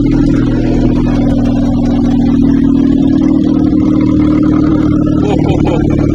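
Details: 1986? Honda Acty kei van, rotten project, first start on choke: steady, loud, droning exhaust note at fast idle with a buzzy edge throughout; the rotted, leaking exhaust lets too much noise out.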